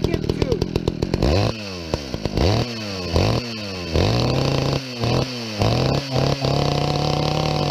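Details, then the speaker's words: Chainsaw fitted with a stock chain whose rakers were mostly left unfiled: a sputtering start, then revs surging and sagging every half second before it settles into a shaky idle. It runs rough; the cause is not confirmed. "that sounds terrible I'm going get a screwdriver walk over to the house and back and the thing is sitting there idling that's a good sign"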